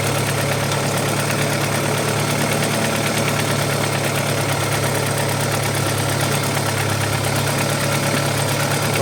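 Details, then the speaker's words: Audi 80 B4 2.0 L mono-injection at cold idle, after refixing an oil-leaking pressure-gauge adapter and an airlock that caused diesel-like clatter: faint quick even ticking, suspected hydraulic lifters, unconfirmed. "Он и работает потише намного. Потому что до этого прямо я запускал, он прямо тарабанил, как будто дизель работают. Ну вот сейчас проявляется."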